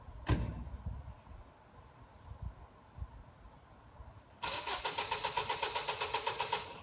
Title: It's weekend: And the car won't start